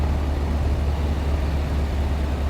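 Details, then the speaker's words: 1971 VW Squareback (Type 3 flat-four) at idle: steady, even, smooth low hum with no misses, but sounding a touch fast; owner thinks idle is set a little high by ear and will check and adjust if needed. "but it just sounds too high for the my ear meter I'll double check it if it is that high I'll change it"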